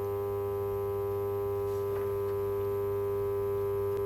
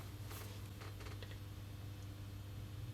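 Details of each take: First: Cheap second-hand magnetic ballast driving a 400 W high pressure sodium lamp: loud, steady low buzz with a high ring, stopping sharply with a click; ballast looks almost new but is very noisy, gets hot and smells of burning varnish. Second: Second-hand ballast on a 400W high pressure sodium lamp: quiet, steady low mains hum, no harsh buzz; acceptable hum unlike another overloaded-sounding ballast, though the igniter is suspected shot.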